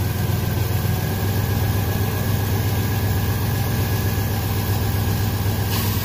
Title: Dodge Dakota 2007y high & rough idle rpm (다코타 2007년식 공회전 높음)